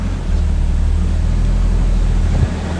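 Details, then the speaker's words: 1986 Ford Aerostar, 2.3 L four-cylinder, 5-speed manual, cold after sitting through upstate NY winter and barely driven, fuel stabilizer added: started right up; low, steady even rumble with no knocks or misses, normal cold idle. "Everything feels very cold and very stiff, but she did start right up, which is great."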